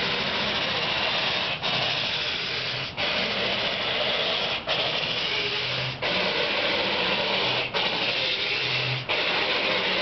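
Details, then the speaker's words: Car left running at 3 AM with windshield wipers on: slow rasping screech sweeping back and forth about every one and a half seconds, pausing at each end, dry wipers dragging on glass. "Somebody left their windshield wipers on."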